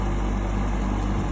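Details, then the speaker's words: GE AHEK08ACW1 air conditioner, three weeks old, that kept kicking off, after bypassing the control board and reassembly; a constant low hum with a steady fan rush and no clicking, cycling or rattle, not kicking off, blowing cold. Normal running. "so far it hasn't kicked off it is cold it is on so at least it works"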